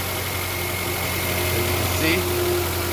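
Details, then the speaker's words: 2007–2012 Nissan Altima after replacing the exhaust manifold catalytic converter assembly: a steady, even idle with no puffing or ticking. The exhaust leak is gone and the engine sounds healthy. "from here good no more exhaust leak no more hearing that exhaust leak everything sounds good"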